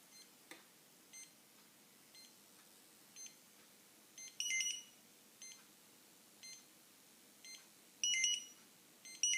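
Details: OPN2002 barcode scanner connected to phone: short high-pitched buzzy bursts about once a second, louder every few seconds, when the scanner is active; abnormal electrical buzz, cause unknown.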